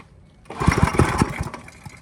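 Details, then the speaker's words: Briggs & Stratton I/C 5 hp engine with Pulsa-Jet carburetor after a quick carb clean, fuel tank near empty with likely bad gas; brief cluster of sharp uneven pops as it tries to catch then dies; backfiring, cause unconfirmed. "yeah, backfiring a little bit."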